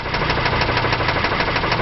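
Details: 2001 Chrysler Concorde with the 2.7 at 108,000 miles, at idle: a sharp, regular knock about six per second, steady with engine speed. Sludge-starved bearings knocking from the 2.7's known oil-sludge flaw.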